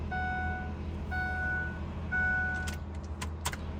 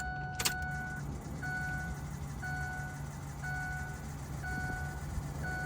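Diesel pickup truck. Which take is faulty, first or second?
first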